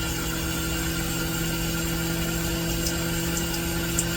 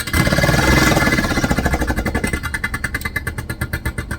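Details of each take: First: Vevor milk cream separator after reassembly and troubleshooting, spinning up with water running through: smooth, even motor hum with steady tones, no knocks or rubbing. Normal running. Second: Vevor milk cream separator running with hot water; harsh hammering rattle about four knocks a second, slowing slightly, far too violent; owner suspects a part inside set up incorrectly, as happened before.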